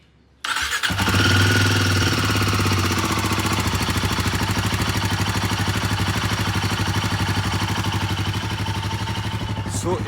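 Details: Royal Enfield Himalayan 450 at about 14,000 km, first cold start of the day: settles to steady idle with a loud, fast, even metallic top-end tick; dealer suspected tappet/shim and adjusted the head, cause still unconfirmed.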